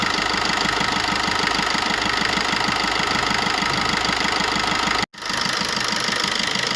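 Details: Maruti new Swift diesel after fixing one injector whose return was double normal, with the fuel tank cleaned and the diesel filter replaced: steady idle with an even, light clatter and no heavy knock; knocking resolved.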